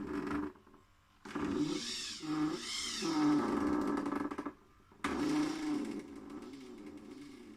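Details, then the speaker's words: InMoov robot torso after installing grease and ball bearings, tested via MyRobotLab: servo whine in bursts with rough creaking and grinding as torso turns; owner suspects too-tight parts fit, fears pistons may break. "I am a little worried about it because it really sounds terrible and I'm thinking something's probably gonna break"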